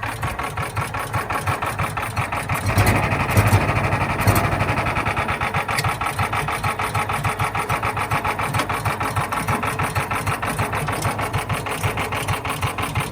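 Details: John Deere Gator 4x2, not started in years, with a new fuel pump, started on choke: small single-cylinder engine catches after a brief crank, then settles into a steady quick putter with no knocks or misses.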